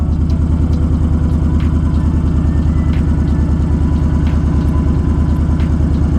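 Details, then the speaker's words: Honda Fury V-twin with new Power Commander V map, raised idle while cold, dropping lower once warm: steady loping idle about three beats a second, even and regular under traffic noise; normal warm-up idle. "okay usually after some time once the bike reaches a certain temperature it idles lower there we go i don't know if you can hear it through the traffic but it's definitely idling a lot lower now"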